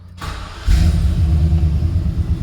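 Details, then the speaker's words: 2003 Chevrolet Silverado 2500HD with crank-but-no-start, after repairing wiring connections (fuel gauge now working): short crank, then catches cleanly and settles into a steady even low rumble; fixed. "so we are good to go y Mt Max is back fixed"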